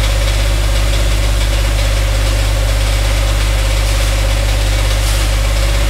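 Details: Dodge Dakota 5.9L 360 Magnum V8, truck raised, idling: heavy deep knock about 200 per minute over steady idle, loudest on transmission; possibly rod bearing, engine versus transmission not yet determined, converter to be unbolted from flex plate.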